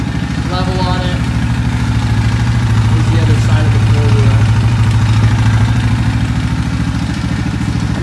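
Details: 2011 Yamaha Grizzly 550 single-cylinder ATV engine, 1800 miles, good compression, muffler baffle removed so louder than stock; steady, even, loud thumping at low idle: normal idle.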